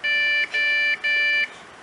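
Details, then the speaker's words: Acer Revo RL80-UR23 computer at power-on: three clear high beeps, pause, three beeps, no boot; new RAM did not help, fixed by replacing the motherboard—motherboard failure. "So this computer, when you hit the power button, it gives a beep code."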